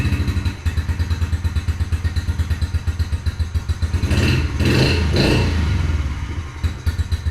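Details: 2021 Yamaha TTR50 after idle speed screw raised and mixture leaned slightly (believed to be running too rich): steady single-cylinder putter about two beats a second, short rev blip settling to an even idle; sounds good.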